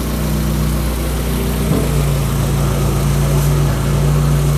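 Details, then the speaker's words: Budget rat rod truck engine at first start-up after a radiator repair, warming up with no leaks: a heavy, deep rumble with a steady throb, very loud at idle, probably from the exhaust; idle slightly high, starts easily. "It's loud! Too loud! I don't know if you can hear me. That's at idle. This thing is noisy."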